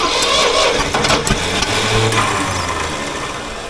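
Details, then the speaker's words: Old Ford loader backhoe that had been sitting: engine catches on ether/carb cleaner sprayed into the distributor breather port, runs rough, then dies; spark and ignition are good, but it needs the choke and won't run without ether. "well at least it's running she needs the choke though well we know it runs that's half the battle so at least we know what uh ignition wise it's got a good spark and it's firing but it can't run without ether or carb cleaner"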